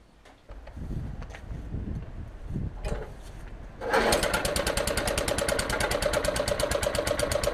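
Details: Old Suffolk Punch 43S lawnmower bought non-running, blades unseized and got going: bumps and handling noise, then engine catches and settles to fast even buzz; normal running, though it probably still needs a carb clean.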